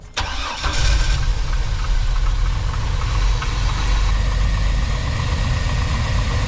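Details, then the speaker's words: 1999 Chevy Astro AWD van with a recurring no-start, after fitting a different distributor cap and rotor: short crank, catches at once and settles into a steady, even idle. Starts normally; owner unsure why it suddenly works. "I have no idea why it's suddenly working"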